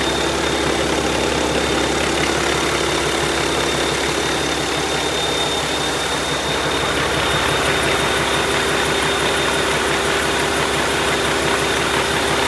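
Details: YaMZ-650 diesel engine on a bench test after a major overhaul done elsewhere: steady, even diesel clatter at constant speed with no knocks, misses or surges, running healthy.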